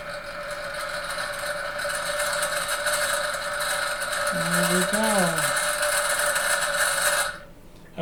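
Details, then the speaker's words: German micro drill driven by newly fused round belt on motor pulleys; steady motor whine with light, rapid, uneven rattle from the belt wheels, chatter caused by loose pulley collars needing tightening. "so we could take from the video this is fine but we just need to tighten these collars because what you're hearing is these wheels going back through all the little chatter yeah once we tighten these up it should be really quiet"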